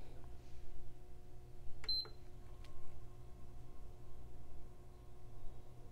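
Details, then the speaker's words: PS5 Digital Edition powered on after a no-power repair: one short high beep over faint room hum, then flashing blue light, no smoke; it powers up normally. "blue light no smoke nothing on the screen yet lots of flashing blue light oh look at there it did survive"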